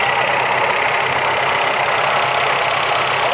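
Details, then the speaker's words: 1985 Toyota Celica 22RE at cold fast idle: a dry whirring, grinding hiss rides over the engine note. The brand-new water pump was damaged when water left in the system froze. "Something making a noise that I don't like. That's the water pump."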